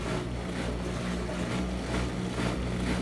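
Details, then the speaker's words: Front-load washer after drain pump replacement: steady low drum rumble with an even pump tone as it spins and drains, no hum or grinding; normal spin and drain. "water's coming down through here as she spins getting extracted going through that filter area and being pumped out the drain by the drain pump with no annoying hum precision performance"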